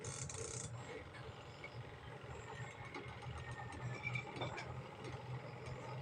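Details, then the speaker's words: Spin dryer on a washing machine after adjusting the brake, which had been rubbing on the steel, and fixing the motor; runs with a low even hum and no rubbing, scraping or knocking. "di ba ayos na"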